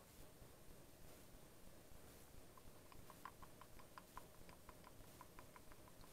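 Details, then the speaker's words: Citroën 2CV/Dyane/Méhari driveshaft (cardan), degreased and rocked by hand off the car: light metallic clicks in quick uneven bursts from play at both ends; joint wear. "Voilà, on écoute le jeu. Donc ça, c'est signe d'usure. L'autre côté, voilà, on entend également le bruit. Donc ça, c'est du jeu."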